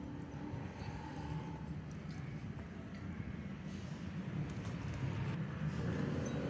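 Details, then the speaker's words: Honda Beat FI scooter after replacing the worn rear-pulley CVT bearing with a sealed NTN 6902 LL and lubricating it: the drivetrain rumble swells smoothly with revs, and the previous rough rear-pulley noise is gone. "alhasil halus Hai tidak ada suara kasar di bagian CVT"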